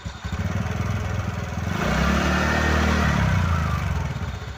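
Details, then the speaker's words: TVS Ntorq 125 BS6 scooter after one-way bearing replacement, revved: an even low thrum rises smoothly and drops back with no rattle or grind at the starter, as the noise is gone; normal revving. "একদম ঠিক হয়ে গেছে, আওয়াজ কোনো আওয়াজ নাই।"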